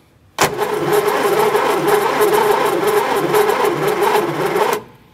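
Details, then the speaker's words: Barn-find Sprite engine, previously seized and freed after installing the missing driveshaft, cranked by the starter via a direct power wire in neutral with spark plugs out: steady, even, unobstructed turning at about four beats a second, so the engine now cranks freely. "Okay, that's a good sign. Now that the engine turns over, I can put the spark plugs back in."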